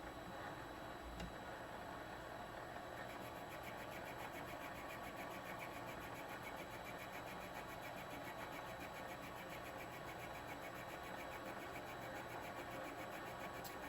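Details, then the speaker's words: Vevor MX 400 mini lathe at 450 RPM on automatic feed, with a larger-radius HSS tool and no cutting fluid: a steady hum with scraping that drops in and out. It is an intermittent cut on a shallow pass, so another pass is planned. "Sounds like intermittent cut, so it's a pretty shallow cut, so I'm going to take another one after this so we have a solid feed."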